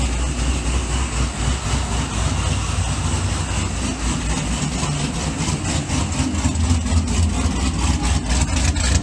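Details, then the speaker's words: Supercharged C6 Corvette V8 after piston replacement and new heads, idling while warming up: an even, low burble with no ticking or knocking. Quiet under the hood, exhaust loud at the rear, oil pressure good; it still needs a tune. "sounds pretty good from this angle totally quiet under the hood even for a supercharged car it's really quiet however the back is plenty loud"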